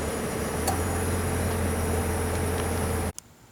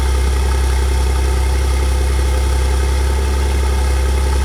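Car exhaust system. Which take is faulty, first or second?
second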